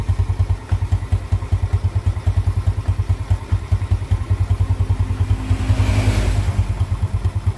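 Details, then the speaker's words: Jupiter Z motorcycle after repair for idle that kept dying and weak power on climbs: even single-cylinder idle holding steady without hunting or stalling; idle now back to normal. "tapi di sini untuk motornya dalam keadaan langsam ini sudah mulai normal lagi"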